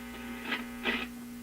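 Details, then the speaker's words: Addison 5-tube radio, after basic restoration, hums for no obvious reason; on changing bands the program disappears, leaving a steady buzzy low mains hum with two brief crackly bursts; owner wonders if the radio fed voltage back into the antenna. "Well, the program materials disappear completely. Now you're just left with the hum."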